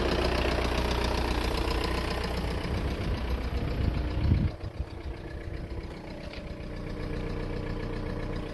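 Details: VW Golf 4 1.9 TDI diesel at idle: a strange, steady, rhythmic knock about two to three per second over the clatter. Engine knocking, cause unclear.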